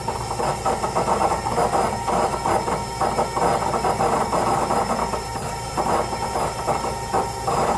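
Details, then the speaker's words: VW Fox VHT 1.0: faint steady fuel-pump whine over a rough idle, the pump straining and not keeping up. Suspected clogged fuel filter, a fuel-supply problem that keeps the engine from revving. "E isso pode estar ocasionando esse barulho na bomba também. A bomba está sendo forçada a trabalhar e não está vencendo lá por conta do filtro de combustível, tá?"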